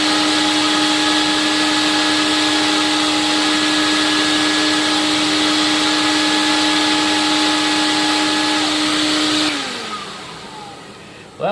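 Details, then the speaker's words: Late-1980s TriStar CXL vacuum on airflow/suction test with all standard filters and cleaned bag, about 120 V supply: steady constant-pitch whine, then smooth wind-down at switch-off; motor sounds okay, condition unknown, bearings due for replacement. "I have no idea what condition it's in because I haven't taken the shell apart yet to see what it looks like but it sounds okay more or less"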